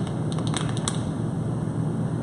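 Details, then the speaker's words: Candle-heated pop-pop steamboat diaphragm engine: quick light pops in a loose, irregular patter over a low hum as the thin bottom flexes with each steam bubble forming and condensing. Normal popping. "the bottom of this particular engine is really thin, so it flexes as a steam bubble forms. It creates pressure and pushes out on the bottom."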